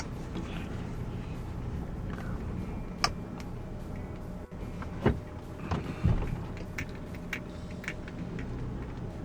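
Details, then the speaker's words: Honda Odyssey RB1, over 386,000 km, engine running after fixing noisy power steering pump by resealing the plastic fitting's o-ring with plumber's tape and fluid: low steady rumble, few clicks, no pump whine; immediately less noise. "let's see if it has made any difference immediately less noise"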